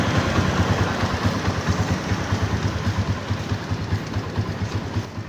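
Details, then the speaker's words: Microbike EXT motorcycle after tune-up adjusting loose tappets that caused loud engine noise: even low idle putter with soft regular pulses and no top-end ticking; valvetrain now quiet and healthy. "Yun mga boss amo, wala nang ingay yung makina. So kaya naman pala sobrang ingay kasi maluwag na yung kanyang tappet."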